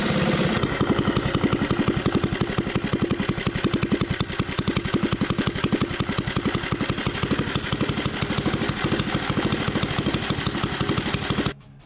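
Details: Coleman 98cc 3hp Rascal lite minibike, first start after fitting performance cam, 22 lb valve springs, ARC billet flywheel and setting valve lash: crisp even single-cylinder firing at quick idle, no misses or valve clatter, shuts off cleanly; normal running.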